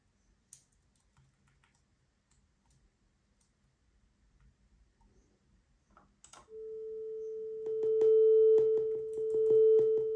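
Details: Topping D10 Balanced DAC (ES9038Q2M chip) playing a steady test tone: sharp clicks at each system/hardware volume step, about one per half second, likely because the volume is applied instantly without ramping, tearing the signal.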